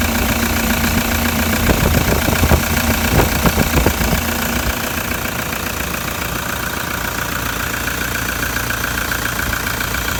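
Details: Older, noisier diesel engine after cold start: busy clattery idle with steady injector tick and even firing, nothing unusual; normal cold diesel idle.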